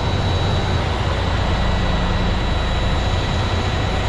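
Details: Overhauled Cummins ISX truck diesel with new block, first start after rebuild (original fault: coolant consumption and overheating): steady low rumble with an even beat, no knocks or rattles; clean normal idle.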